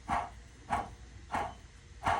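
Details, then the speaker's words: Toyota Sequoia running, belt drive; sharp repeated squawks about every 0.65 seconds, a dry worn bearing sound from the idler pulley, with the tensioner pulley also loud; idler pulley bearing noise, replacing pulleys and belt. "I'm doing maintenance on the Sequoia. We got to do idler pulley because it's got a mean noise."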